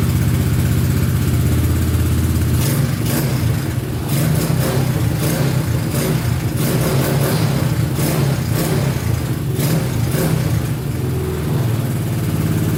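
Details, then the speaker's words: Honda Big Red ATC 200 (200cc) three-wheeler, barn find sat over 6 years, carburetor just reinstalled: single settles into a low, even putter and picks up cleanly on a few throttle blips; runs pretty good, normal running. "Oh yeah, sounds pretty good. A little bit more gas in it, see what happens. I'd say she runs pretty good."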